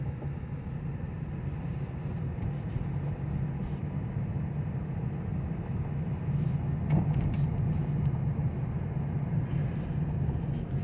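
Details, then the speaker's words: 2009 Pontiac G5 while driving: low road rumble with an uneven knocking from the wheel that grows louder as the car slows, with or without braking; the cause was found to be loose lug nuts. "It doesn't matter whether I step on the brake or not. It makes knocking noise. Now it's slowing down. The noise is louder. Knocking noise becomes louder when I slow down."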